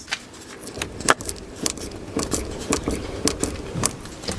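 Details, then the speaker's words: Opel Astra H door after replacing the check strap (limiter) with a new GM part: soft, clean clicks at each detent with no crunching or grinding; now very quiet, whereas the old strap creaked harshly at the end of travel. "Вау наскільки тихо Він працює Ну от послухайте пам'ятаєте в кінці він прям хрякав неприємно"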